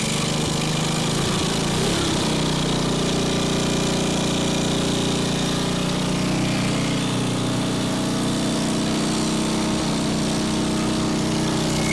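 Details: Old salvaged single-cylinder go-kart engine on its original cleaned carburetor, first test run: loud, steady constant rhythm with no surging, misfires or knocking; idles great but has trouble once throttle is pushed.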